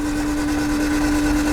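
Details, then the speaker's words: 1991 Honda CRX Si barn find, seized over 10 years, freed and cranked after diesel in cylinders, oil light goes out: even, steady whirring hum while cranking, no catches, scrapes or knocks; engine spins freely, making oil pressure. "Yeah. So, the light goes away. So, when we're cranking, it's making oil pressure."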